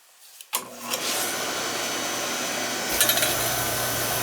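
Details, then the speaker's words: Oil burner on a no-heat callback, protective relay tripping after a recent service with new nozzle: blower comes on with a steady roar and the flame catches a couple of seconds late; electrodes found set too high. "they have a little delay there [Music] i wanna check the electrodes oh yeah it seemed to have a little delay there didn't it"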